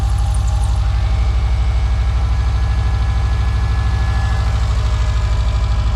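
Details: Subaru Legacy that had been knocking badly, audible from inside while driving: steady even idle with smooth low pulse about three per second and no knock showing through; sounds healthy.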